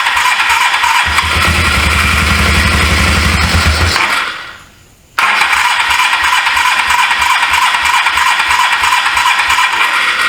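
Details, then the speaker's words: 1983 Suzuki GS450A automatic motorcycle, unused for years, carbs previously rebuilt, on car battery jump: steady cranking then uneven pulses, reluctant hard start; only runs with choke on; owner suspects clogged carburetors needing cleaning, fuel line leaking, needs new plugs. "It only runs with the choke on."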